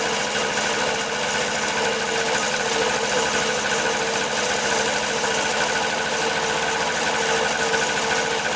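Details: 1974 Honda Elsinore MR50 50cc two-stroke on a second carb-cleaner spray test with fresh gas mix. The fast, even buzz holds with no stumble or rise, so there's no air leak; the owner suspects the carburetor.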